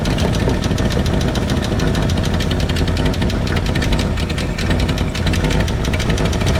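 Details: 1968 Ford F100 V8 with the valve cover off during valve adjustment: fast, even metallic clacking over a rough idle, tracking engine speed, as rockers are loosened until they clack; valve train clatter from loose lash.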